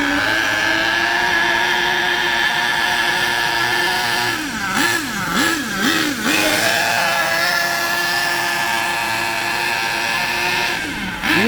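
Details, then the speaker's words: HPI K4.6 nitro engine in a Savage 21 monster truck, cold during warm-up on a wet morning: high buzzy engine rises and falls with a blubbery edge and won't rev cleanly at full throttle, running extremely rich; it speeds up as it warms. "notice how rich it is it don't want to move that's Full Throttle"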